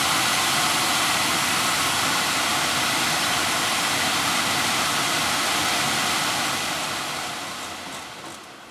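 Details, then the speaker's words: 2010 Audi Q5 blower motor, previously stopped working (fuse good), removed and plugged back into the car with ignition on: smooth steady rush of air at high speed, no squeak or chirp, winding down evenly; blower runs normally. "I don't hear any squeaking all right you know what foreign spinning pretty fast without squeaking"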